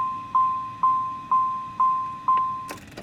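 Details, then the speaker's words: 1995 Chevrolet Monte Carlo LS, 88,257 miles, warm car in summer: five clean, even warning chimes about two per second, clear steady tone near 1 kHz; normal pitch, which owner notes drops lower in cold weather. "One thing I don't understand about this car and the Luminas in general is that for some reason, in the cold, the chime pitch gets lower. So, like, in the summer, obviously, it sounds, when the car is warm, it sounds like this."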